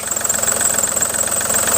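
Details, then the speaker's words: Running engine with a constant thin high-pitched squeal; belt, tensioner or idler suspected, tested with Coca-Cola or water. Tensioners found fine; worn serpentine belt needs replacing. "Sehr wahrscheinlich ist der Riemen zu wechseln. Es ist entweder eine Spannrolle, Umlenkrolle oder der Riemen ist verschließen."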